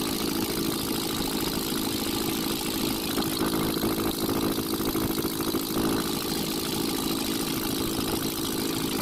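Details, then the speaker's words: Ashok Leyland Captain 4923 BS4 diesel truck after refitting dropped valve bridge on rear-first cylinder and metering unit coupler: steady even idle clatter, no odd knocks or surges; noise back to normal, diesel leak stopped. "और चलिए अभी हम start कर दिए engine को और देखिए आगे साउंड किस तरह नॉर्मल पोजीशन पर अपने आ गया"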